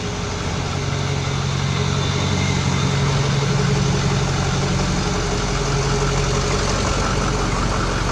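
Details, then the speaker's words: 2005 Ford F350 6.0L diesel, just started: steady, even diesel clatter with a low constant hum at idle and no misses; normal healthy idle. "so there we go YouTube our batteries returns and engines running"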